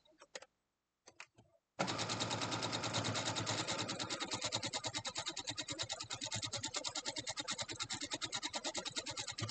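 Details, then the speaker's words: Sewing machine running while piecing a quilt block: fast, even stitching clatter, about three stitches a second, with a loose rattle on each stroke; owner unsure of the cause and thinks it may need servicing. "let me know if that sewing machine is too loud i feel like and also i hear that rattling i'm not sure i might have to have it serviced because it doesn't sound very good does it"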